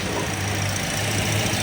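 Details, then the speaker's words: Toyota Vios that has had its tensioner replaced twice, idling with the drive belt removed: steady low hum, no squeal or chirp, so the engine is fine; noise suspected in the alternator, water pump or compressor pulleys. "walang problema sa makina to."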